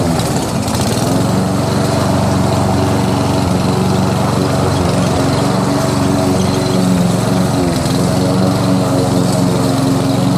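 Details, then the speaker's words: Toro SR4 Super Recycler 20381 push mower with Chinese clone engine, running without air filter (probably sucked in grass): loud drone with ragged, wavering, hesitating beat; rough running, carburettor to be taken apart. "It's kind of hesitating."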